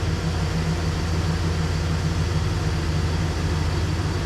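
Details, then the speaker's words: Chevy Express van after exhaust manifold replacement: smooth, even low rumble with steady beat; the earlier tick is gone and it is quieter, slight oil burn-off noted; healthy idle. "Oh, there's no ticking. There was a tick. Yeah. It's gone. The tick's gone. Yep. It's quieter."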